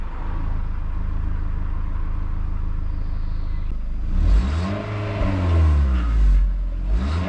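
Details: VW Mk4 Bora Wagon, 1.6 16-valve, stock exhaust before a muffler delete, warm after an hour's drive, not a cold start. Even low idle rumble and a few smooth rev blips. Normal start and idle.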